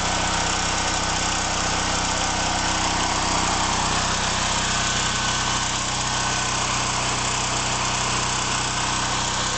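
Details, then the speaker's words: Generator on a 2013 test run, powering the whole house through an interlock with the main breaker off and an air conditioner switched on. Steady even engine drone with a constant hum and no surging or hunting. Running normally under load. "The generator breaker is turned on, powering the house. And I'm turning the one air conditioner breaker back on. So now the whole house is powered by the generator"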